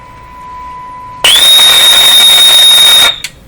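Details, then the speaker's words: Philco 38-C7 tube radio during RF alignment check with signal generator, volume full up: sudden ear-splitting steady high whistle for about two seconds then cuts out; RF oscillation. "wow that was a year splitter my ears are ringing it's another good reason for not doing things with the Volume Up full"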